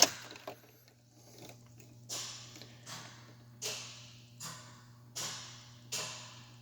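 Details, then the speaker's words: Red truck at key-on: sharp clicks and short hissing air puffs about once a second over a low hum as the ABS modulator valves run their normal chuff self-test, but the ABS dash light did not come on. "we can hear the chuff test all this clicking around it that's the modulator valves being clicked"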